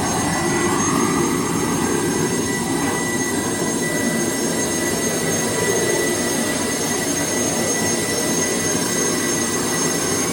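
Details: Boeing T50 jet turbine-powered Camaro at idle, oil pressure just over 10, throttle linkage not yet hooked up: constant high-pitched turbine whine over steady rushing roar, no surging or rough notes; turbine idling smoothly.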